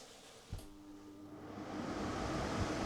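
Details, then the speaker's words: Portable (mobile) air conditioner switched on in fan mode before cooling is selected. A click, then the fan spins up into a strong, steady rush of air with a faint hum, operating normally. "it started blowing, right away, it blows quite strongly,"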